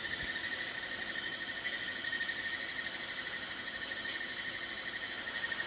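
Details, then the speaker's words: Macintosh Classic II, opened up, booting its hard drive: steady high whine with rough hiss and faint uneven chatter; drive horribly noisy, cause unclear, owner plans to replace it with a BlueSCSI. "So, I'm planning to put in a blue scuzzy cuz you can hear this. It's absolutely horrible noisy."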